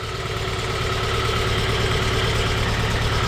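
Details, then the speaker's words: 2001 Volvo S40 petrol, just revived non-runner: steady idle with a rough puffing pulse about three times a second over the engine hum; sounds like a big hole in the exhaust, not confirmed. "it's it's it sounds like it's got this big of a hole in the exhaust"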